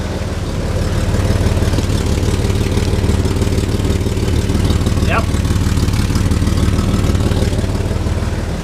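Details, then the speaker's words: Chevy S10 project truck with a carburetor, idling, heard from underneath: deep, rapid puffing chuff of an exhaust leak; passenger-side manifold donut gasket had been leaking. "Now you can hear her. See if I can get you under there. You can hear that exhaust leak."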